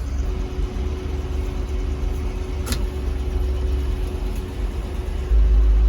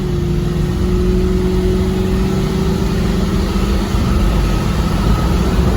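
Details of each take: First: 1976 Chevy K10 with junkyard LS swap, first drive after 20+ years sitting: V8 held at high steady revs with constant drone while the truck barely gains speed, because the transfer case was left in four-low. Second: 1976 Chevy K10 with junkyard LS swap, first drive after 20+ years sitting: deep, steady V8 drone pulling evenly under load, no knocks, misses or whine; healthy acceleration.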